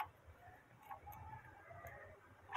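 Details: Bicycle freewheel after tightening to remove play: light, sparse clicks as it is spun by hand in a quiet room, no grinding or catching, turning freely; normal freewheel ticking.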